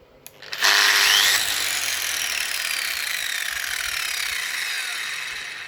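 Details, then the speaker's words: New DeWalt angle grinder with soft start: a brief pause after the button press, then the motor spins up smoothly to a high steady whine without the kick of the old grinder; soft start working properly. "Did you hear that wee delay in the startup? So what there is in this one, it doesn't have the kick that the other grinder had, the old one."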